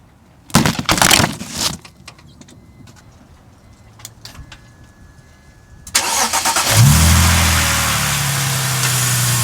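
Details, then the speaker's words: BMW E46 idling smoothly and evenly right after starting, following replacement of the timing chain tensioner to fix an occasional cold-start rattle. "Idling nice and smooth. Very smooth in fact."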